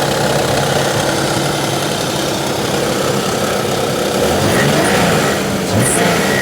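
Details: Nissan 300ZX Z32, warmed up; low idle with an irregular stumbling beat that bogs now and then. No obvious vacuum leak found; owner suspects the old debris-filled aftermarket intake filter, may try a spare MAP sensor. Rough idle, cause not confirmed.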